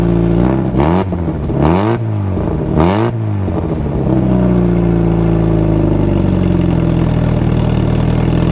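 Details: Turbo single-cam RT4WD Honda Civic Wagon after repairing the broken downpipe flex pipe and refitting wastegate: three quick throttle blips, then even steady idle, clean exhaust note, no puffing or ticking from a leak; normal cold start and idle.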